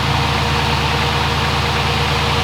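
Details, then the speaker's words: 1993 Lexus SC400 twin-turbo V8 with Bullseye Power turbos, just started cold: steady low rumble with idle speed searching as the still-being-tuned idle stepper motor hunts until warm, rising quickly. "The stepper motor, just until it warms up and finds itself, it's just searching to give me even idle. It's coming up pretty quick, as you can hear."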